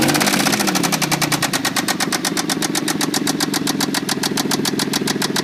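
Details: Toyota Tacoma 3.4L V6: sharp, regular metallic knocking in time with idle, loud over the engine note; bad lower-end knock, cause not found, engine treatment to be tried.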